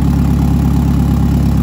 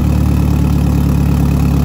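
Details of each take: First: Eagle Talon 4G63 engine running: a smooth, even low idle with no knocks or ticks and no struggle to start. An oil leak from the front of the engine is traced to a forgotten part. Normal idle. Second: Mitsubishi 4G63 DSM engine started after repairs including new exhaust gasket: steady idle with light uneven ticking about three per second over engine note, exhaust leak still present.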